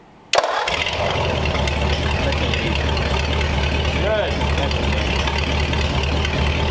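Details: 1934 Ford with replacement 35/6 flathead V8 block fitted with original engine's good parts, first start with coolant, good oil pressure, heads re-torqued: catches instantly into smooth steady low burble, no knocks or misfires; normal start and idle.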